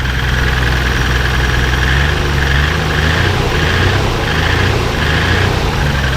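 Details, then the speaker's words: 1996 Nissan Skyline R33 GTR Nismo 400R, neglected RB-X GT2 engine, at auction inspection: heavy lumpy low rumble with uneven loping beat like a Massey Ferguson tractor; rough idle, cause unknown. "sounds like a massive Ferguson tractor to me. Anyway, sounds terrible."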